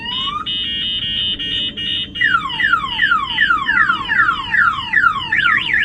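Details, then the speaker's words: Mercedes-based Airstream Interstate motorhome aftermarket alarm, triggered by banging on the glass: steady high tone, then repeating downward sweeps and a fast warble; alarm siren sounding normally. "So I'm going to go ahead and bang on the glass. That will fire off the alarm."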